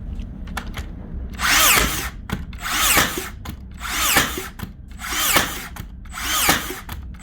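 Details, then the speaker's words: Makita DBN600 cordless finish nailer that blank-fired and didn't fully sink nails, after greasing: whirs up and fires crisply about once a second, driver retracting to load each nail; reliable firing, no blanks, massive improvement. "that is actually a massive Improvement she's definitely actually taking the pin back again to load up the next nail not a problem this time"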